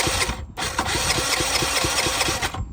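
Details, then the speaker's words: Salvaged battered scooter engine, rebuilt with starter motor refitted and WD40 in the cylinder, cranked on starter: brisk even chuff of compression strokes, no knocks or grinding; normal cranking with good compression. "so that sounds pretty good so the engine is turning over compression sounds okay"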